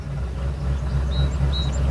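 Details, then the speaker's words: 1999 Ford F250 XLT Super Duty, 5.4L Triton V8 farm truck with rough surging idle and hard starting in cool damp weather, no codes stored; slightly raised idle, mostly smooth with faint uneven beat, one cylinder cutting out: misfire. "it's missing though see with a V8 sometimes it's hard to tell if one cylinder's cutting out it's still pretty smooth"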